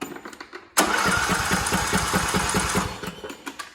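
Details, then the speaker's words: Craftsman T1700 tractor with Briggs & Stratton engine, choke on, spark confirmed: starter spins engine with even chugging for about two seconds but it never fires; crank no start, traced to a failed fuel shutoff solenoid. "Okay, so it will not start. You're gonna go to the next stage, which is, are we getting fuel? Obviously we're getting spark, so we have to have fuel to make this thing run."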